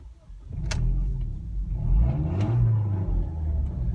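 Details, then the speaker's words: Project car engine revving with an exhaust leak: deep, coarse, tractor-like rumble swelling with revs, far louder than stock; a hole, possibly where a previous owner cut off the catalytic converter and bodged in a pipe, unconfirmed. "Yes, it sounds like a tractor. No, it's not a performance exhaust, it's a hole."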